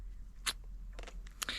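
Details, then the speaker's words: Merida eSilex 600 e-bike climbing a steep grade in assist mode: sharp irregular cracks and clicks from the chain skipping on the sprockets; first gear won't engage and second cracks, after the owner's own gear adjustments. "Also der erste Gang. Ich kann überhaupt nicht darauf wechseln. Auch der zweite Gang knackt."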